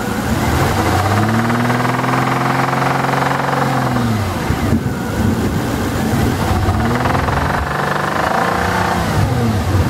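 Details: 2000 Jaguar XK8 bought on eBay: revs rise and fall twice with a rough, buzzy undertone on the exhaust note; the seller says it is normal but the buyer doubts it, source unclear.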